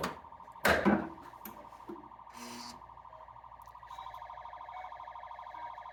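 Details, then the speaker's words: Barn-find Stern Wild Fyre pinball during solenoid test: a steady wavering wail runs under short test beeps; solenoids 1–4 seem to work, and the source of the constant background noise is unknown. "I think those are working we've just got a trimmer that's constantly going in the background I don't know what that's about"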